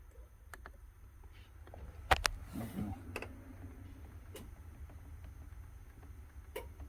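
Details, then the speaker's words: During a scan-tool functional test the EVAP vent solenoid is cycled repeatedly, giving sharp, spaced clicks and a soft clunk in a quiet setting. The technician says such solenoids go bad and eventually stop working. "now anytime I've been addressed with a problem like this where I can actually physically hear it I will usually wind up cycling that particular solenoid multiple multiple multiple times and eventually you'll hear it"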